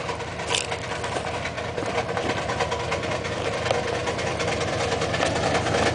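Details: Washing machine: rapid, uneven ticking about three times a second over heavy thumping and rumble as the machine shakes and dances violently. It is believed to be on its last legs, cause unknown.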